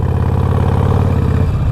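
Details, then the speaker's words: 2020 Harley-Davidson Roadster, warmed up, in neutral during first Vance & Hines Fuel Pack 3 auto-tune session: low, lumpy idle that loses rhythm and sags as if about to die, air sucking in; stumbles near stall at low revs. "it seems almost like a new rider like like the low revs are the hardest part for it it keeps on making like a weird like uh it almost like it turns off for a second i hear the air sucking in"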